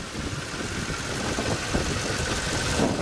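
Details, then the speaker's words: 2006 Toyota Tundra 4.7 V8 after repairing secondary air valve fault (codes P1441, P2440; had limited RPM and no acceleration), reassembled: even, steady idle with no misses, hunting or ticking; runs smooth, no fault codes. "There it is, everything's back together, engine's running smooth, no problems."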